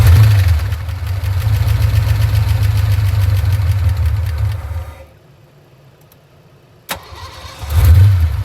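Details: 1989 Ford Mustang GT V8 idling with a steady, even low beat, running better after a tune-up with new copper spark plugs and vacuum hoses plugged against leaks.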